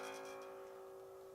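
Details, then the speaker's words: Bass with a Hipshot tremolo, tuned a half step down: a plucked note rings with a thin, rattly buzz at the attack, fret buzz because the bridge is set too low and needs raising. "And you can hear this buzzing. This bridge has got to come up."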